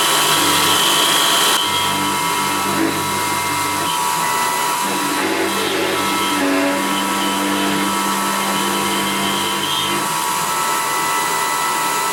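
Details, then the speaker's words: CNC milling a laminated timber tool handle with 3 mm step-over: a steady ringing tone over rough cutting noise, with chatter especially in the deeper section, leaving a rough surface. Milling cutter chatter. "it's it's quite a rough surface that I've got there because I'm using three millimeters step over and it was a little bit of chatter as we were cutting that especially in the deeper section"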